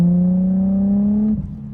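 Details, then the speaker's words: Auction 350Z being driven, possibly with an alternator or battery problem: engine revs climb for over a second then drop suddenly, running ahead of the car; driver suspects a slipping clutch. "Oh, creo que ese fue el clutch que está patinando."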